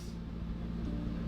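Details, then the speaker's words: Crash-damaged Range Rover SVR after engine swap, first start with exhaust not yet fitted and coolant in: steady low rumble, smooth even idle, cooling fans whirring, no knocks or misses; normal idle. "Yeah. That sounds well smooth. Super. The fans on. I think it's working. I think it's working. It sounds well smooth."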